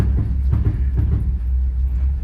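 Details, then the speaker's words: Rat rod with clanging and banging from the left front when brakes apply and release; low rumble with dull knocks about every half second. Owner suspected a loose brake adjuster; finding is a worn front upper control arm bushing. "The left front brake kind of banging and clanging when I hit the brake, and then I'll let off of it."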